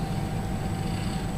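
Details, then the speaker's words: Axial SCX24 V2 Jeep at quarter throttle under load, soft low motor hum with faint gear sound and no ESC whine; much quieter than the other truck, normal running. "and so quiet God that's quiet that compared to to that like that's a huge Mount huge difference"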